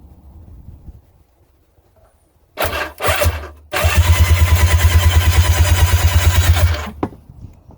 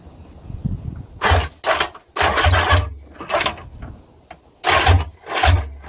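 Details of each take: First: Old two-stroke jet ski that sat unused for years, cranked on the starter with spark plugs removed. Even, quick whirring pulses for about three seconds with no binding or catching; spins freely, normal cranking. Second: Old two-stroke jet ski that sat for years, cranking with spark plugs reinstalled; compression sounded good. Short laboured bursts under a second, barely turning over; slow cranking, battery suspected.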